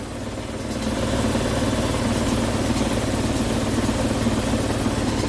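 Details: Attic HVAC indoor unit on a no-cooling call: rough, steady droning hum with coarse rapid flutter; destroyed blower assembly vibrating excessively, causing intermittent low control voltage, needs replacing.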